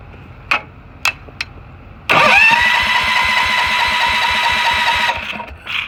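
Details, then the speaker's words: Tractor in cold, snowy weather, started 2-3 days earlier: a few clicks then steady starter cranking, won't fire even with starting fluid; owner suspects a spark issue and checks the NGK spark plug. "how does something not start with starting fluid like really how is this possible it's literally called starting fluid it's almost like like it's a spark issue"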